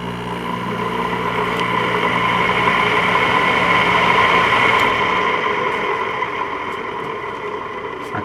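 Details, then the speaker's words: LG 5,000 BTU window AC whose single motor drives both the condenser impeller and the squirrel-cage fan: loud, dry metallic bearing noise over the fan roar that persists even after PB Blaster and lithium grease on the shaft. "it's still making uh you know a metal unmetal sound uh like a dry Baron noise and it's pretty loud"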